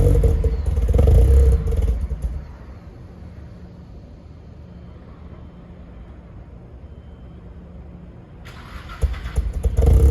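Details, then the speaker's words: Nissan S14 just back from another shop, fresh 93-octane fuel, running but untuned: loud lumpy revs with sharp exhaust pops and a quieter loping idle between; popping on revs, still needs tuning. "Obviously, it still needs to be tuned. You shouldn't really be revving it that much. They said that there was flames, supposedly."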